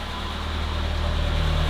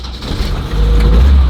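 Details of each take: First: Vintage BMW 2002, after a reseating kit and new spark plugs fixing a misfire: smooth, even low drone at slightly high idle, no stumbles or skipped beats; all cylinders firing cleanly. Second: BMW 2002 restarting after a quick install with no fuel leaking. The engine catches with a heavy low rumble that surges and stays uneven, plus an odd noise of unknown source. It runs better but rough, and the idle screw still needs adjusting.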